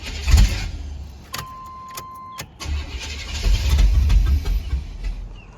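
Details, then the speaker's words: 1994 Chevy K1500 crank-no-start with compression, fuel and spark; fuel pump unplugged: cranking bursts, then catches and runs rough and uneven briefly before sagging; likely super flooded, later fixed by replacing coolant temperature sensor. "So, now I got it to run, but it's not getting fuel. It seems like because I unplugged the fuel pump. Maybe it was super flooded."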